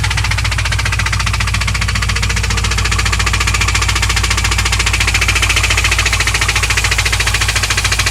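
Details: 2001 Pontiac WS6 LS1 5.7L V8 at idle: sharp, regular tick-knock, about three to four a second. It followed high-rpm ticking, oil pressure dropping from 30 to 0 when shifting, and the engine found empty of oil. Persists after refilling; cause undetermined.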